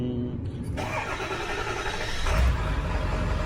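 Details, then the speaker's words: Ford F350 whose high-pressure reservoir bottom gasket is leaking. It cranks briefly, catches cleanly, and settles into a smooth, deep idle with one throttle blip: normal start and idle. "i mean it runs great it sounds awesome the truck runs awesome"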